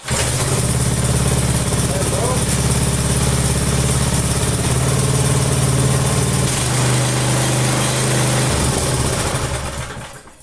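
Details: Free neglected Texas rototiller with Briggs & Stratton engine, unused three weeks, restarted at half throttle without choke: fast, fairly even putter runs several seconds then fades and stalls; it hunts slightly when running.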